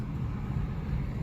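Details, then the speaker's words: 2009 Jeep Compass, front-wheel drive, driven under 20 mph: a steady low roar droning under the engine note; a worn CVT transmission is suspected over hub bearings. "Now, think about this type noise, guys. You can suspect this is a little front wheel drive Jeep Compass, likely with a CVT transmission."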